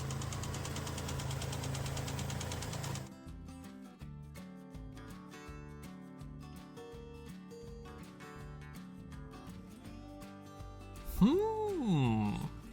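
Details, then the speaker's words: Truck bought at auction a week earlier, reportedly sounding fine then: under a steady idle, a regular hard knock about three per second keeping pace with the engine; loud internal engine knock. "This customer had just purchased this truck at an auction a week before, when it apparently sounded just fine, but now it had started sounding like this."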